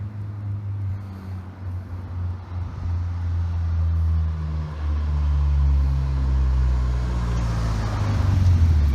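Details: Nissan KA24DE after replacing a torn, leaking fuel injector seal and refreshing spark plugs, on a test drive: steady low engine drone building smoothly under load with no stumble or miss; misfire appears cured.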